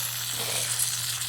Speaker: Oh, it's that. It's the dripper. It's the dripper here. I thought it was a leak. See, it's shooting out like faster than it should be.